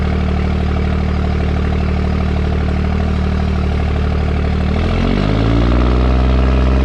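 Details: 2nd-gen Dodge Cummins diesel automatic towing heavy up a steep grade with cable locker: deep steady drone under load, then clean pitch drop as it upshifts quickly and locks the torque converter early; normal.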